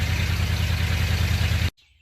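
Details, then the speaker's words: 1978 Ford F250 after a cheap tune-up with plugs, wires and cap; old wires were breaking apart. Started cold, it ran rough at first, then settled to a deep, even idle with no misses. It is healthy, though the timing still needs setting. "And she's running a whole lot smoother, so we do need to set the timing on it, but we accomplished to do today. He's actually running pretty good."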